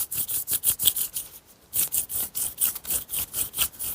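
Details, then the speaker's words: Peugeot 107 removed front wheel bearing spun by hand: gritty rasping churn in quick repeating bursts each turn; worn rough bearing being replaced. "probably hear the roughness in that"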